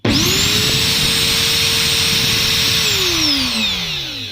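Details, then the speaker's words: Brand-new angle grinder with its gearbox opened and found completely dry, no grease: spins up fast to a steady high whine with a gear-mesh tone, then winds down. Gear teeth already show wear. "Итак открываем хоба смотрим сухая просто сухая ни капли масла здесь вообще нет"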